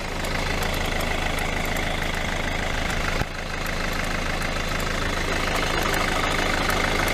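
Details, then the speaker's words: 2012 Hyundai i40 1.7 diesel at idle: light regular ticking, about two or three a second, over diesel clatter; a new belt didn't help, and the alternator clutch pulley is suspected worn and is to be replaced. "i hope when we replace the alternator pulley the sound will be gone because the alternator pulley is with the clutch and very often the clutch and these make just damage so that's the noise"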